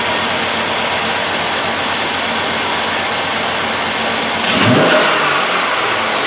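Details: 2007 Chevrolet Suburban half-ton 5.3 V8, brought in for a whole bank-one misfire with faults on all bank-one coil control circuits, running with a jumper wire grounding the coil circuit: steady even idle and a clean throttle blip; runs on all eight cylinders.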